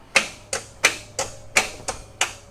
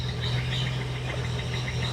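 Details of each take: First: 1971 Datsun 240Z during restoration, first start attempts after the spark plug wiring order was rechecked: about seven slow cranks, then it catches briefly, sputters unevenly and fades; fuel is only now coming out of the filter to fill the carb bowls, so it is starving for fuel. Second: 1971 Datsun 240Z six-cylinder after restoration, in neutral, carbs apparently near synced and timing only at a general mid setting: steady, even low hum at idle with no sputtering, backfiring or misses; runs smooth and healthy.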